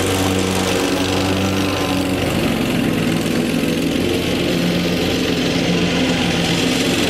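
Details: Lawn tractor after fitting an electric fuel pump to fix a fuel problem: catches and settles into a steady, even drone as it moves off onto grass, no stumbling; normal running.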